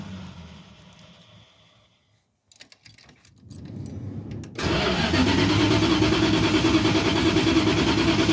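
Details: Van sat about two months, good rec fuel in it, spark or fuel suspected: after a pause and key jangle the starter cranks evenly around three beats a second but the engine never catches; crank no start.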